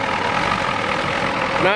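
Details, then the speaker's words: 1993 Ford F-250 XLT 7.3L IDI diesel, warm, after sitting about a year, injectors previously replaced: idles unevenly with a loose, lumpy clatter; owner suspects it is out of time and the injection pump needs replacing; rough idle. "too good I think it's out of time I think so not running too good guys it's out of time that's for sure"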